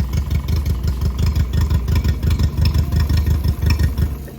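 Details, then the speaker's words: Mercury 60 CT outboard, 150 hours, fresh transom mount, known fuel issue: smoky, lumpy uneven idle thumping about three times a second with dropped beats; a cylinder missing; misfire. "Well, it's gonna smoke. Don't mind the smoke. Lumpy cam. It sounds like it's missing, don't it?"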